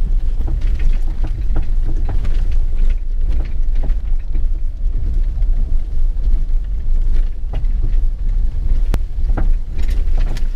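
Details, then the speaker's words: Subaru Crosstrek on 215/75/15 BFG KO2 tires driving a gravel road off-road: repeated sharp clunks and rattle over wind and road rumble, camera outside the window, from a detached sway bar bushing swinging around. "so after that noise you can kind of hear now it starts to get a little bit louder and you can hear the full rattle that I deal with the rest of the drive and the full rattle is from that sway bar bushing swinging around"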